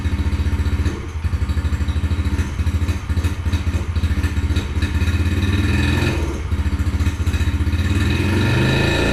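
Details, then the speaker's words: 2021 Yamaha TTR50, unused for a couple of years, after carburetor reinstall: low, lumpy single-cylinder thumping with sagging dips, barely holding idle; won't idle off choke, owner suspects idle set too slow, unconfirmed. "well well it still doesn't seem to want to idle off choke but it may just be set to idle too slow"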